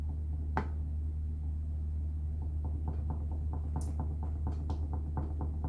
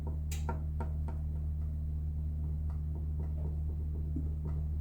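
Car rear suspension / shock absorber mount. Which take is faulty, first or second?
first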